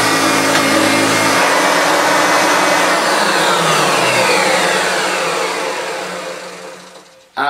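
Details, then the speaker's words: Hoover Turbopower Autoflex U2198 upright after refurbishment, with new belt, brush roll, brush roll bearings and motor bearings replacing two seized motor bearings; smooth, even high whirr with no grinding or rattle, then clean run-down at switch-off; running perfectly. "absolutely spot on there is that is working perfectly out with its brand new belt and brush roll and new bearings all around new brush roll bearings and new motor bearings"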